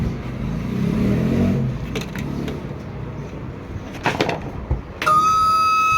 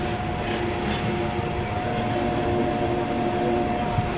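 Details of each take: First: Super Asia air cooler converted from 220 V AC to 12 V DC, new pump on 12 V: rough rattle at first, then a steady high whine with a sharp onset as the small pump runs dry with no water. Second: Super Asia AC air cooler converted from 220V AC to 12V DC with replaced fan motor and pump, on a low battery; constant even hum, no rattles or surging; new pump and fan running normally.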